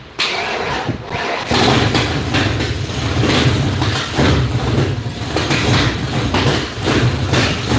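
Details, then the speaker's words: Fresh 408 stroker V8 in a Foxbody Mustang, first fire-up on MSD ignition with estimated timing (balancer marks painted over): short crank, then lumpy but steady idle, no knocks heard; new engine running fine. "I'm happy it sounds good and it didn't take 4 days to make noise."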